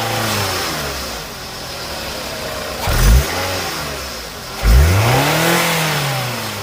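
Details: 2nd-gen Scion xB after repair of a loud hissing noise with loss of power on acceleration: idle with two quick, clean blips, no hiss or hesitation. The slow throttle response is gone.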